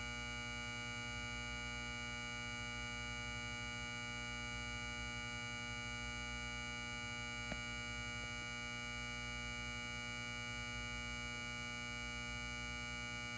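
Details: Lithonia Lighting 250W pulse-start metal halide high-bay light, LumaSuper ED28 bulb, base up, M153/O ballast, 11 months old, turned on: a loud steady mains hum with a bright buzzy edge during warm-up; normal magnetic ballast hum, fixture works fine.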